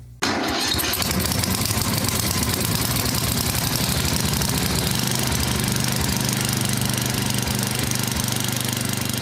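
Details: Yard Machines 24-inch snowblower, Tecumseh 8 hp engine, previously hard starting, primed: pulls once and catches straight away, steady even single-cylinder chug with no misses; healthy running.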